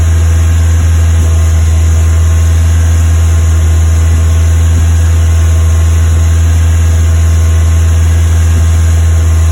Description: Westfield FW Zetec Fast Idle Misfire